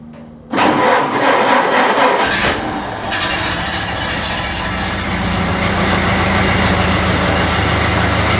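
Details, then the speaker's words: Model A Ford started cold after sitting overnight, following manifold gasket replacement: cranks, catches and settles into a busy uneven idle with a ticking puff; owner still suspects a warped exhaust manifold gasket at number 4, an exhaust leak. "Well, she's not sounding like a truck, but I still think that manifold gaskets have been warped on the number, I guess number 4."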